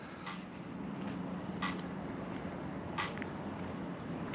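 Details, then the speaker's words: Arrma Big Rock 6S RTR after firmware update, brand-new battery packs: sharp evenly spaced clicks every 1.5 s over quiet hiss as motor sits in low-voltage cutoff; cause unknown, possibly normal. "I've never heard that on low voltage cut the motor is sitting there clicking on low voltage cut that's funny I've never seen that before"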